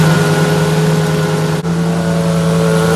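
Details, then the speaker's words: 1966 car, engine idling with an empty power steering reservoir before fluid is added; a broken hose or leak is suspected. Steady mid-pitched whine over a smooth idle, holding constant. The power steering pump is running dry. "As you could see, there was a weird noise coming from the power steering pump as soon as we run the engine."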